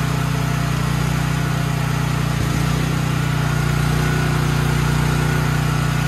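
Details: Troy-Bilt XP 7000 W generator, Briggs & Stratton 21 hp 420 cc, just started, main breaker on: steady beat about 200 per minute, firm low drone, no misses or knocks; engine healthy.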